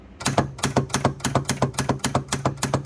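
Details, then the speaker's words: Red 12V flipper solenoid fitted in place of 24V contactors on a virtual pinball machine; sharp bright identical clicks three to four times a second, higher-pitched but healthy; normal flipper solenoid click. "that one sounds more pitchy it's more like a female version of what we just did so i'm going to actuate that and you can hear that"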